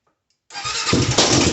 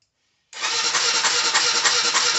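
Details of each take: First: Honda 400EX quad that died while riding, after replacing the spark plug with an NGK DPR9Z-equivalent: quick catch after brief silence, crisp single-cylinder patter settling into steady run; starts cleanly, fixed by new plug. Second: Honda 400EX that died while riding, spark plug found loose: steady fast cranking about three turns a second for five seconds, never catching or firing; crank-no-start.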